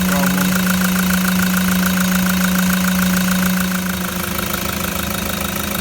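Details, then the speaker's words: Toyota Land Cruiser 120 Prado diesel with a new replacement engine and new genuine parts, first start with the new engine: smooth, even idle with a steady low beat, no misses, knocks or rattles, not a breath of smoke at the tailpipe; normal healthy idle. "oh beautiful as soon as it starts it just sounds like an absolute gem but i love those brand new genuine modes and this is it the tailpipe not a breath of smoke either"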